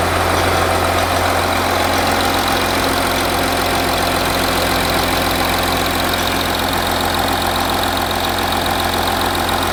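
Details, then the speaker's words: Audi Q7 diesel idling after water pump replacement and coolant refill: a steady, even idle with a constant low drone and no knocks or misses. It is running normally and the pump area is dry with no leak. "So as you can hear, the engine is running. Everything looks good."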